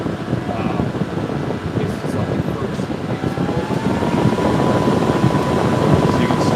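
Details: Server on its stock air cooler under a CPU stress test, side panel off, CPU temperatures nearing 85°; the system is thought to beep to ramp up above about 94°. Loud airy fan roar building over several seconds with a faint rising tone: fans ramping up under load and heat.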